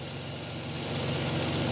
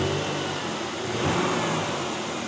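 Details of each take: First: Oldsmobile revived after sitting for years, fresh oil change, running about 10 minutes and sometimes dies after 15 to 20: steady idle with fast, sharp, loud fuel injector ticking. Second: Oldsmobile after sitting for years, fresh oil change, cold start: petrol engine idles steadily and evenly with a soft whooshing air pump feeding the exhaust; running really nice.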